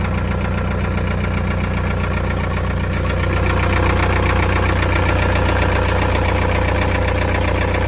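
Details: Hot 1.9 TDI 66 kW (1Z) diesel at idle: steady knock about two and a half times a second over the diesel clatter. Engine knock at idle, source unknown.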